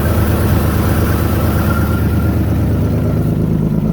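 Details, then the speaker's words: 1997 Toyota 4Runner SR5, 210K miles, blown head gasket, cold start after sitting: steady low idle with uneven puffing chuff, first thought to be a header leak, actually exhaust escaping the hole where the oxygen sensor hangs loose. "You can hear that exhaust leak. Sounds like it's coming from a header down here."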